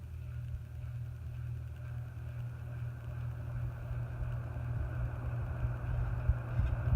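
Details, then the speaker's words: Antique General Electric ceiling fan run up to full power: deep steady hum under the motor growing louder as the fan reaches speed; resonance through the canopy, may need adjustment. "A little bit of resonant. Sounds like it's resonating through that canopy. I might have to adjust it a little bit."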